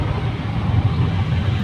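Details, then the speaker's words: Hyundai Creta after replacing the clutch plate, pressure plate and worn clutch release bearing. Driving at about 60–80 km/h with a steady low road-and-engine rumble. The earlier release-bearing noise is gone, with no whirring, chirping or grinding from the clutch. "Flower होने दे रहा है clutch में कोई नॉज भी नहीं है अब problem solve हो चुका है थैंक यू फॉर वाचिंग"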